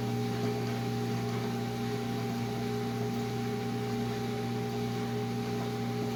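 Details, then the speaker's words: Whirlpool Duet front-loader washer after the fix for long drain, error codes and a locked door; the owner suspects overheating from long pump runs caused the error: drain pump gives a steady clean low hum, no rattle or grinding, draining with force. Normal drain pump running; problem appears solved. "I've got to say, it looks like the problem is solved, and I really won't know till I run this for several days, but I can tell with the force that the water is draining out, it's working much better."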